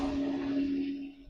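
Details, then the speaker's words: Basement sump pump run by holding the manual button on the old Arduino-built control box with a battery bank: a steady, even motor hum holds one pitch, then fades as the button is released; the pump is working normally. "There you go. You can hear the pump working just fine. So, that's going to move out that water."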